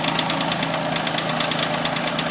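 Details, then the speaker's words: Mitsubishi Eclipse just after cold start, idling in garage then revved: quick even light metallic ticks like a valvetrain or lifter tick, sometimes goes away; owner suspects hydraulic tensioner, source unknown; ticking noise at idle. "So, if anyone could help me figure out what is making that annoying clank."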